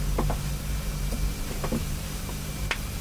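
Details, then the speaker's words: Hammond L 222 tonewheel generator after 10 days of daily sewing machine oil drops (WD-40 once first): steady low even hum, spinning smoothly, squeal gone. "spins like a kitten so I think dropping some oil in the generator did the thing"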